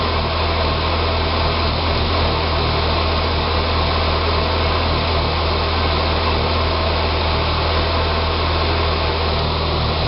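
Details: 2006 Saab 9-3 2.0T after engine rebuild, at idle: low, uneven, lumpy wavering beat; rough idle, runs fine with throttle, possibly vacuum related (suspected).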